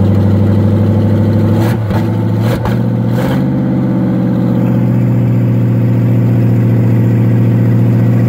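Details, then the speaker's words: Engine with HEI ignition, solid motor mounts, started in second gear in the car: raw, very loud open-pipe bark, sharp starter-and-catch thumps then a steady high idle drone; running with no exhaust fitted. "I'm going to start it one more time in gear and see what it sounds like. I'm going to try starting it in second. I think I unhooked it. Really need to get an exhaust, but..."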